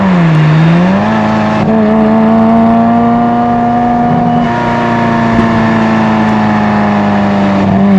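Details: Euro-spec 1994 Ferrari F355, after service including spark plug wire work: engine pulls cleanly with steady rising tone; previous hesitation and break-up up to about 1500–2000 rpm gone, running smooth.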